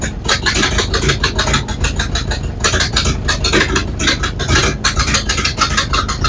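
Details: Model A Ford cold start after sitting about four months, spark advanced, old ignition parts (cap, rotor, coil perhaps from about 1970): uneven lumpy firing stumbling and surging, missing; rough running, owner suspects aged ignition parts.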